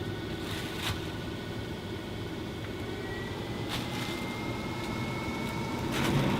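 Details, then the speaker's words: Fantastic Fan roof vent fan on second or third speed setting: steady rushing air with a thin high whine, loud and annoying but working normally. "you could hear how noisy it is and it's quite annoying"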